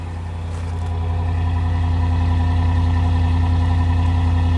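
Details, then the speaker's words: 2015 RAM 5.7 HEMI V8 idling smoothly and quietly with a deep even exhaust pulse after aftermarket headers fitted and a Fel-Pro gasket replaced a leaking kit gasket, curing the passenger-side exhaust manifold leak. "that sounds way better that's that sounds solid quiet as a little church"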